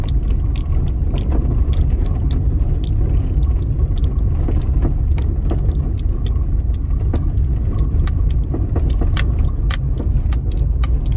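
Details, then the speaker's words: 2015 Hyundai HB20 1.0 three-cylinder, 48,000 km, driven on cobblestone street, heard near brake pedal: sharp irregular knocks over low road rumble, strong thud under the front suspension; cause a loose bolt. "tirando os barulhos de plástico ela tem uma pancada bem forte embaixo da suspensão dele acho que agora deu para ouvir né galera"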